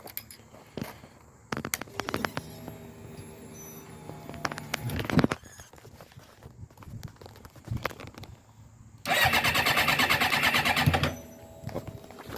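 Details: 2007 Suzuki GSX-R 600 project bike: short bursts of starter cranking with a whirring spin that never catches; engine cranks but will not fire. Cause not confirmed.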